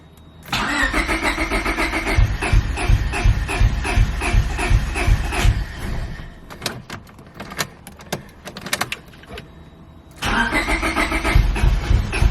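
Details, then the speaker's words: Honda Civic B20 after VTEC oil fitting hole in block welded and ECU unplugged: starter cranks in steady chugs, stops, cranks again, never catches; crank no start, owner suspects no fuel to injectors. "i'd have to check but it sounds like there's no fuel so let's see might probably be a good idea to do"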